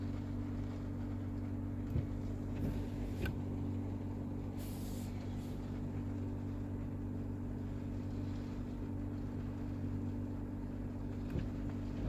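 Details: Toyota Mark X GRX130 running: steady low drone with a couple of fixed tones; abnormal air-conditioning noise, source unclear.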